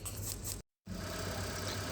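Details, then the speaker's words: Honda Stream petrol engine at 800 rpm idle before revving: smooth steady low hum, no knocks; the owner's complaint is a rough clattering noise that starts only when revved. "suara mesin dalam keadaan langsam ya jadi belum kita gas seperti ini suara mesinnya terdengar normal-normal saja tidak ada keanehan sama sekali ya Temen temen"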